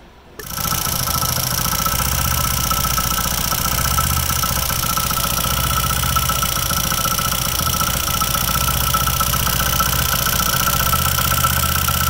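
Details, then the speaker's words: Old-model Hero HF Dawn single-cylinder bike idling, fast light rattle from the magneto (left) side, traced by opening the magneto cover; loose magnet in the flywheel rattling. "नमस्कार दोस्तों मेरा नाम है अंकित और आज के इस वीडियो में हम बात करने वाले हैं मैग्नेट तरफ से आने वाली आवास को कैसे फाइंड आउट करें की आवाज किस चीज की है"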